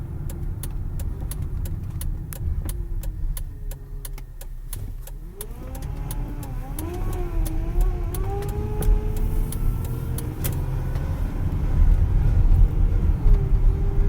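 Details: 2010 Dodge Journey grinding while accelerating or steering: groaning tone that bends and climbs with steering and throttle over engine rumble; cause was the power steering pump, and replacing it fixed it.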